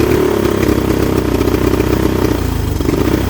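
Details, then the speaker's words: 1983 Honda 200E three-wheeler single-cylinder at full throttle with the air filter off: uneven, lumpy, unsteady beats and it dies at idle despite the carburetor being removed twice and adjusted; a carburetor fault causes the rough running. "That's full throttle right there. If I let it go to idle, it'll go dead. And that's with the air filter out of it."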